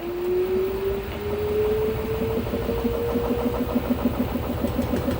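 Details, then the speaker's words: LG F-1220TD washing machine during spin: motor pitch rises as the drum speeds up, then steady thumping about three knocks a second as the drum bounces; bearings likely broken up. "słychać pukanie pojawiła się maszyna do pisania to pukanie powodem jest bęben podskakuje po takim uderzeniu w prawy samochód"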